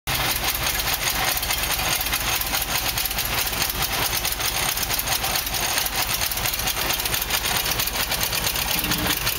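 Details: Nissan N13 with CA18DE petrol engine, new headers fitted, idles with a fast, raspy, slightly uneven pulse; still a rough idle, needs fine tuning.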